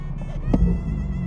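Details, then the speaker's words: 2017 BMW 440i xDrive B58 six-speed manual after PCV diaphragm and valve cover replacement, warm after a drive: smooth idle hum just above 500 rpm; after a low-throttle blip it dips only very slightly and settles, with no near-stall as before. "Okay, a little bit of a dip. Very, very tiny dip. pretty stable."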